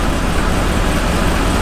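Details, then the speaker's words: Truck being viewed for purchase idling with a pronounced misfire; low, uneven, lumpy stumbling idle under a steady rumble, no knocking; owner suspects coils or plugs rather than an internal issue. "you can feel the trunk but it's misfired pretty good uh i don't think it's an internal issue because it's not knocking or anything crazy like that it's probably cools plugs or something"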